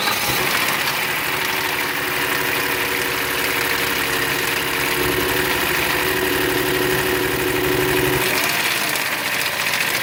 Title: 2014 Kia Cadenza engine knock